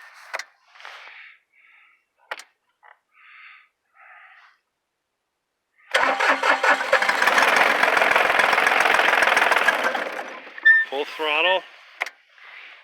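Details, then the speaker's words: Gc1720 tractor, warm after running about four minutes while loading wood, with plenty of fuel: a ragged burst of running that fades and dies; it won't keep running. "if anything it dies faster"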